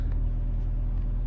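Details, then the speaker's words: 1992 Honda Prelude fourth gen at operating temperature after a drive, after cleaning and adjusting the IACV to cure idle surge: steady even low rumble, no hunting or surging, revs slightly higher than usual but smooth; healthy warm idle. "but hey it's not lumpy at all anymore it's not bouncy it's a smooth idle so there you go"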